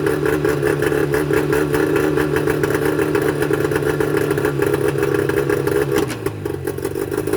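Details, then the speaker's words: Mercury 25 HP two-stroke outboard before Boyesen power reed install; uneven lumpy idle with irregular firing pulses and a stumble near the end, rough running blamed on the reed valves: rough idle. "what do you say you'd be amazed that you wouldn't think that these two little pieces of metal is what makes the motor run so rough"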